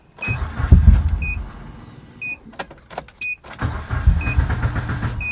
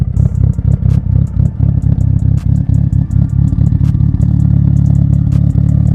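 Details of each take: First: Mitsubishi Evo 8 with a newly installed fuel pump housing: two bursts of starter cranking with warning chimes between, and the engine never catches. The pump line shows too little fuel to start; low fuel delivery, pump to be pulled and inspected. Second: Mitsubishi Evo 8 revving after a new fuel pump housing: a strong, steady note rising and falling evenly with throttle, no knocks or misses. Normal revving; the original cause is unclear.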